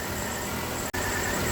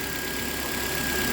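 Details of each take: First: Nissan Altima 2.5 (2010 listed, owner thought about 2008) idling below 1000 rpm. Low, uneven, stumbling beat under a steady hum that worsens at idle. Arcing coils suspected; ignition misfire at idle. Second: 2010 Nissan Altima 2.5 with a misfire, started after the oil-fouled intake was cleaned: misfired briefly, then cleared as oil burned off, settling to a steady, even idle with no knocks or ticks and a faint constant high tone. Normal idle.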